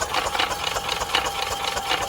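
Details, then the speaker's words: Yamaha golf cart engine after sitting 6 or 7 years, being cranked after its carburetor jet was flushed: the starter turns it over sluggishly, about four strokes a second, battery not so hot; slow cranking from a weak battery. "Not cranking that fast though, but let's see if we got spark next."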